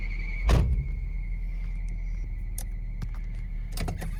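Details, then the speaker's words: 2002 Nissan Frontier running after EGR pathway cleaning to fix a P0300/P0302 misfire. At idle a steady high-pitched squeal rides over the engine: a slipping accessory belt that needs tightening. "I've got to get that bell tightened up. That squeaking's driving me crazy."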